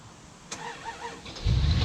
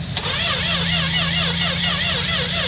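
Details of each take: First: 1963 Dodge Dart slant six that had sat for years: a few slow cranking chirps, then it fires into a deep, rough rumble. The engine cranks and starts. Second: 1963 Dodge Dart, 225 slant six, sat 7-8 years, battery charged, gas down the carb, ignition switch faulty: steady fast cranking whir with even starter drone, turning over but never catching; long crank, no start.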